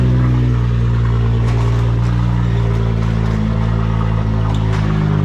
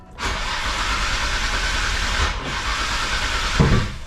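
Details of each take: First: Nissan Skyline R33 GTR (RB26) idling after enabling the injectors and rebooting the ECU: a steady, even, smooth idle with no misses, knocks or ticks. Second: Nissan Skyline R33 GTR RB26 with injectors enabled, cranked while base timing is adjusted on the trigger kit: steady cranking whir with hiss for several seconds, never catches; cranks but won't start.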